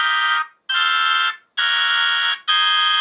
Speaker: this v21 is ready to go that's a good sounding v21 it sounds clear it sounds clean